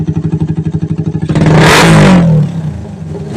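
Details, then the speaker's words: Raider 150 bored to 180cc with a 30mm SWR carb (main jet 125, pilot 35), earlier bogging down and backfiring: now an even single-cylinder idle thump, then one clean rev with no popping or backfire; stable idle. "Wala na Wala naung back wala mga kaer stable menor tunog pa lang mamaw na Raider"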